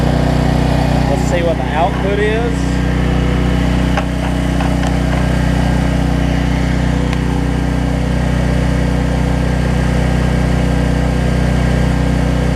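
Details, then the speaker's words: Troy-Bilt generator running after a no-spark fault was traced to the low-oil sensor module and fixed, with clean oil, under about a 1500 W load: steady low drone with even firing pulses that changes tune under load, no misses or surging. Normal running. "next step let's plug in something you'll hear it change tune hopefully you hear that oh yeah"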